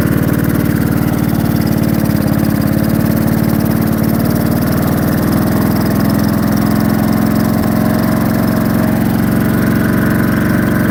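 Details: Briggs & Stratton 16hp single-cylinder with cooling shroud off, just started: thumps along fast and even with no miss yet, but then it dies; no power, compression feels good, cause unknown: engine stalling.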